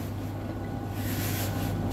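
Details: Tumble dryer (Bosch/Blomberg/AEG/Beko type) that tripped the RCD on warm cycle, after drying moisture off the thermostat, overheat switch cabling and blower left by wet washing: steady low hum with an even drum roll, no knocks or scraping, running normally.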